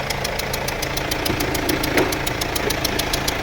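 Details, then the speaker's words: Mercedes-Benz W212 E220 with the OM651 four-cylinder diesel, check-engine light on, idling with a loud, sharp, fast metallic ticking, about seven a second, from the front of the engine; mechanic suspects a leaking injector. "เสียงแบบเสียงน่ากลัวมากเลยนะนะฮะเสียงแพกๆๆๆๆครับดังมาจากในเนี้ยผมคิดว่าเสียงอย่างเงี้ยหัวฉีดน่าจะรั่วนะครับ"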